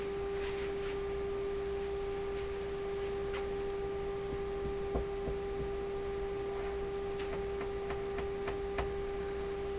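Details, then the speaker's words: RCA Victor A38 shortwave tube radio tuned near 5 MHz on B band with a 1 MHz generator signal on the antenna: steady buzzy mid-pitched tone with faint clicks from the speaker; spurious reception. "what this is telling me is if you're operating this radio and you're tuned to where it's tuned right now somewhere around 5 megahertz from the b band 91 megahertz signal on the antenna will come out the speaker that doesn't sound very good"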